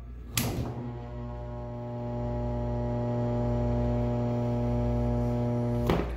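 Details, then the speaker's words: Single-phase electric appliance/shop motor bench test: loud steady mains hum with a thunk at each end; motor only hums and won't start on its own because the start windings are burned up, yet runs fine if given a tug by hand. "are burned up so there's no way that this motor is going to start on its own then what's sad about that is the dis motor if you just give it a little tug actually will start running perfect"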